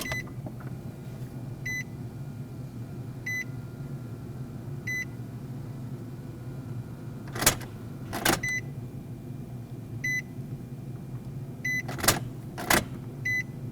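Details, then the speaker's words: 2005-2021 Nissan Frontier after a new TRQ fuel pump module was installed and the fuse refitted: cycling the key on and off gives a low steady pump hum under dash chimes, with relay clicks. The fuel pump is priming normally. "Now with our fuse reinstalled, let's turn the key to the on position and then back off. Cycle it several times like that to prime the fuel system."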